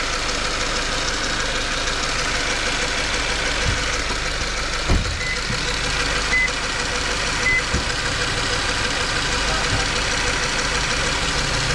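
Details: Subaru FB16 engine: idles with a faint, uneven knock tapping through the running noise, roughly under once a second; knock of unknown cause.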